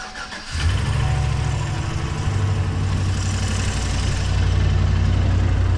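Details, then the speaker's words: 2016 GMC Sierra 2500 6.0 L V8 at idle after exhaust-leak and catalytic converter repairs: clean start, then a dull knock about three times a second under the rumble; owner suspects the side with broken header bolts. "there's that engine knock right there I was telling you about you guys up here a little bit"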